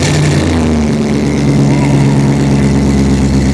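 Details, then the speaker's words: C10 truck "Crusty" V8 started after finishing its custom exhaust. Deep, even rumble settling from a blip into a steady idle with no ticks, leaks or rattles. Normal rev, exhaust sounds healthy and tight. "Sucker sounds good. It looks nice under here too. Hell yeah. I like it. Truck sounds good."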